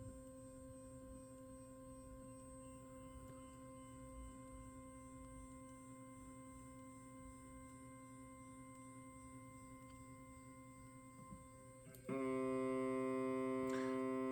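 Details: 3D printer homing after the bed plate was loosened and lowered: faint steady hum, then a sudden loud, rough buzzing as the stepper motor tries to home without moving; cause not confirmed.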